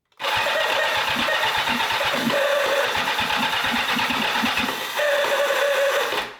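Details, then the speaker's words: 1984 Kawasaki GPZ750 Turbo, long abandoned, fed from portable fuel tank direct to fuel pump: starter spins with steady whir and even compression pulses but never fires; fuel pump never heard priming, found stuck. "The fuel pump. I haven't heard it. It should prime. You know when you turn the ignition on, it should buzz away. I've not heard it whatsoever."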